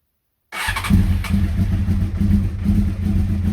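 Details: Honda CBR600F under revival, start-up via temporary starter relay and ignition switch bypass wiring, borrowed fuel tank fitted, kill switch set to run: fires promptly after cranking and holds a steady, even idle with light throttle rises; healthy engine.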